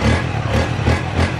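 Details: First-generation Honda CB150 fuel-injected motorcycle with new Rotax fuel pump rated over 40 pressure, injector suspected weak; engine catches and settles into a steady low putter without misses, runs while held.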